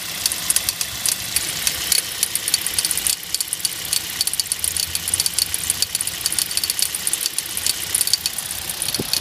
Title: Стук двигателя Hyundai Solaris